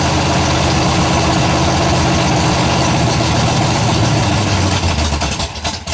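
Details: Freshly built 427 big-block V8, first fire-up, idling after a little warm-up: loud lumpy idle with a faint quick tick; builder hears one valve with excess lash and plans to adjust the valves.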